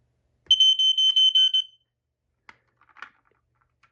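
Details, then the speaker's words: Kidde 1275 ionization smoke alarm, 120VAC with 9V backup, manufactured July 2001, powered up: sharp high-pitched beeps in a fast burst, standard code 3 temporal pattern as expected for post-1999 units; normal alarm sound. "There we go. It does standard code 3, of course, in which I expected because it's newer than 1999."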